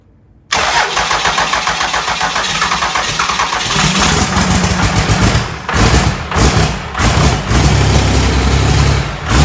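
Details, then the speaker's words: Diesel engine for 1956 Chevy truck, first fire-up on the shop floor after bleeding air from fuel system, burning old fuel: starts straight away, steady low diesel clatter with a few light revs, runs clean and even. "That first fire up's always good. Sounded good."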